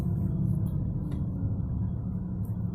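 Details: 1999 BMW 328i with bad rear wheel bearings, driving: a deep, steady low growl under road rumble, low around 20 mph and swelling louder as speed rises toward 60 mph.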